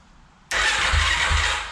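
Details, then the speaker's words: 2007 Yamaha YFZ450 SE starter cranking with the relay trigger wires jumped by a small wire to send 12 volts to the starter solenoid: starter engages sharply and spins steadily with a low pulsing turnover; normal cranking, relay circuit working. "these two trigger the relay to send 12 volts to the starter solenoid and i've just jumped it with a small wire"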